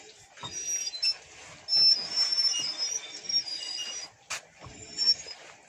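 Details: Car rear drum brake with the wheel removed, in neutral, drum turning backward; a thin, high-pitched whistle comes and goes, dry brake parts rubbing.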